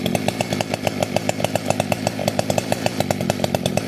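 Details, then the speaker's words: 60cc two-stroke chainsaw with a new stack and advanced ignition timing, started without choke in four or five pulls: crisp, even firing at a steady fast rate with no stumbling or bogging; well tuned and running properly. "I got her tuned right, man. With my ignition advance, everything is just drive and perfect."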